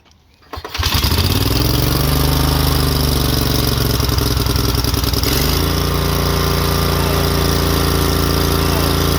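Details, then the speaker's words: Exmark 36-inch Turf Tracer HP walk-behind mower with Kawasaki FH581 15 hp engine, after new NGK BPMR6Y spark plugs and new fuel filter: fires within a second, runs smooth and even, steps up to steady higher speed, no misfires or fuel leak; normal start and run. "Purring like a kitty. As you can see, we got no leak there."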